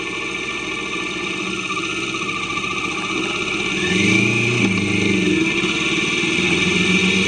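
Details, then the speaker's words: Kawasaki Vulcan S 650 after new chain and sprockets, chain properly adjusted, riding: steady even engine note rising cleanly with throttle, no chain slap or clatter; smoother, quicker, better acceleration; normal running. "Already I can feel a difference in the performance of the bike. So so much smoother, so much quicker, far better acceleration."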